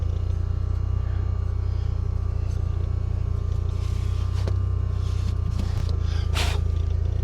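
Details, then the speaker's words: 1987 VW MK1 Cabriolet after replacing a failed in-tank fuel lift pump (old pump rattled, cavitating): new pump running, steady low engine hum, smooth with no rattle or buzz from the fuel system; normal running. "Oh yeah, I can hear that new pump running away in there. Good."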